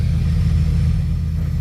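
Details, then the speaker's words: 2004 Ford F350 6.0 Powerstroke with low power, rough running and no check engine light, at idle: deep uneven growl from a worn turbo with a slight stumble; turbo bearing wear plus misfire. "I don't know if you can like hear that turbo it idle it's like growling um then you can feel a miss"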